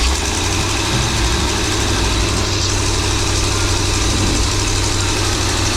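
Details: Birchaven motorhome V8, Quadrajet carb, restarted after 12 years stored, fed from a gas can, radiator cap loose, coolant leaking: deep, even idle with a steady low rumble, no knock or miss; oil pressure up nicely, normal idle.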